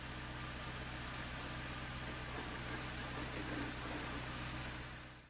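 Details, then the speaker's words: 2011 Jeep Patriot, T355 five-speed manual, clutch out at idle: a steady low drone with a rough, irregular rattling grind underneath; owner suspects worn input and countershaft bearings, unconfirmed. "it just almost sounds like something's broken in there I'm really hoping it's these bearings scary"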